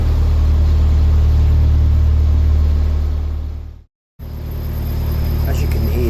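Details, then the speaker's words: Narrowboat cruising on the Worcester and Birmingham canal: steady low diesel thrum with a constant, incessant ringing tone from the engine. "can hear, the engine got this ringing noise, and I made a video about what it was, but when I made these videos it was incessant and absolutely annoying."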